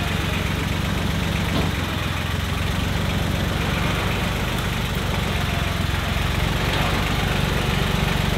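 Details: John Deere 1050 tractor (Yanmar 3T90T three-cylinder diesel), running after repair for coolant in the oil and with the injection lines bled, warming up. A steady, even diesel idle with no knocks or misses and no injection-line leaks sounds healthy; the alternator is not charging (12.9 V).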